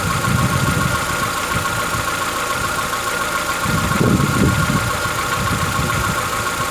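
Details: Chevrolet Onix 1.4, 2014-15, petrol, cold-start idle: faint, uneven light tapping over the running sound, recorded in wind, lasting about 10 minutes. Present since 0 km and worsening yearly. Owner suspects a tappet knock, not injectors; source unconfirmed, dealers call it normal.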